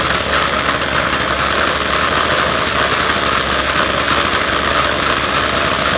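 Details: Ryobi full-crank two-stroke trimmer, started for the first time in spring: buzzing at a steady, even idle with no misses, surging or knocking, runs clean.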